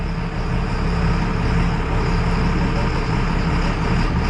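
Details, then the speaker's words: John Deere 7800 diesel tractor doing field work in tacky ground: deep steady drone under load with a rough low grunt riding on it; owner unsure whether it is normal or just how the tractor is designed. "You guys hear that grunting? Is that normal?"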